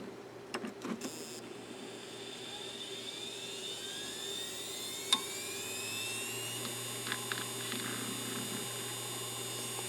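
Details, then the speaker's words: Western Digital Caviar 100GB IDE hard drive bought on eBay, first power-on after shipping: spindle whine rises smoothly to speed with a few brief head clicks during the startup seek test; the drive sounds healthy. "Okay, you heard it power up and it did a seek test. So, I'd assume this drive is probably okay."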